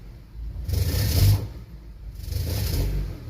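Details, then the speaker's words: 2007 Honda CR-V that stalls after about 3 minutes: two throttle blips bring a loose, tinny rattle from underneath that swells with revs; owner suspects plugged, recently replaced catalytic converter. "giving a gas right now there's a rattling noise coming from underneath"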